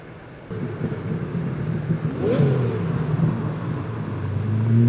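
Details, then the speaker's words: Lamborghini Diablo 6.0 after diagnosis and repair of a check-engine light: deep, smooth V12 hum that rises evenly as it revs, with no knocks or misses; idle sounds great and the engine runs healthily. "that's funny not gonna lie sounds good idle sounds great"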